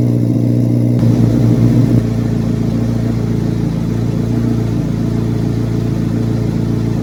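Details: 2024 Carbon Flash Chevrolet C8 Corvette Z06 V8, cold start in a garage: loud burst on firing, then a fast, even high idle with a deep, steady drone; normal, clean cold start.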